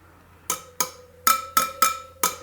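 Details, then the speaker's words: Triumph Tiger 800 spoked wheel running out of true, left-side spokes tapped with 6 mm spoke wrench: seven sharp taps, the first two flat and dead while the rest ring clearly; loose spokes, to be tightened half a turn. "that one right there you can hear it pretty dead that one's better that's real good that one's dead too another dead one two dead ones there"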